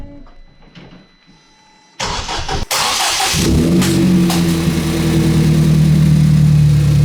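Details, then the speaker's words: Ford Fiesta ST first start after a Direnza tubular manifold and RT330 hybrid turbo install; a short crank, then it catches within a second and settles into a steady, fairly fast idle with an engine light on. "Hey! He's running fast. He's got an engine light."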